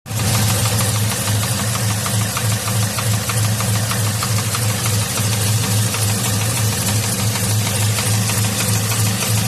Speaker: as you can tell there's something going on with that motor there and that's the motor that's in the truck that we're putting that n kit on